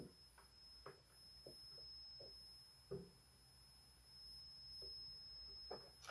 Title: Audient ID22 strange noise coming out of the box